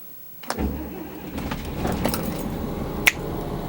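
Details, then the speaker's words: 1999 Beaver diesel motorhome stored three to five years: key click, very brief crank, engine catches at once into a quiet steady idle; battery still good, healthy quick start. "just a half turn and the engine's running. Battery is alive. So, that's great."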